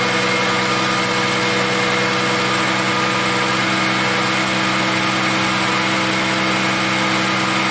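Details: 2000 Ford Mustang after fuel pump and fuel filter replacement for no-start with no fuel pressure: steady, even idle with constant hum, no misses or knocks; running pressure about 30 psi, 50 key-on.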